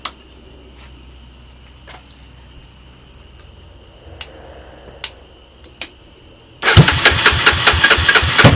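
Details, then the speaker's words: Honda ATC 250ES Big Red with used portable CDI box and electric starter, long-stored parts bike with cracked head and broken frame: scattered clicks, then fires on starting fluid and runs rough and loud with rapid uneven pulses, some smoke. "might want to make sure you get enough starting fluid in there so it's going to blow up it blows up Wow"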